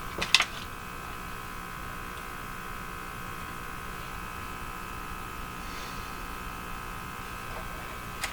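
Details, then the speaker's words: Hallicrafters TW2000 receiver during IF alignment with an oscilloscope connected at the speaker: steady loud unchanging buzzing hum with a few small clicks, suspected to come through the scope connection as a ground loop. "Where did this horrifying hum come from?"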